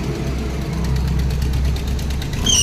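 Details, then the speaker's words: Maruti Omni, belt recently replaced, winter: steady idle, then sharp high squeal the moment headlights are switched on and engine revved; loose slipping fan/drive belt squealing under electrical load. "यानी ये light बंद की और ये light चालू की और तुरंत चचाई देखना"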